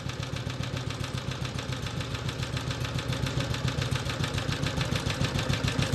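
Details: BSA/Villiers 119cc Sloper with centrifugal clutch, after carburettor/engine service: an even, quick, light putter at about three and a half beats per second with a soft breathy breather pulse and heavy flywheel; a normal, healthy idle.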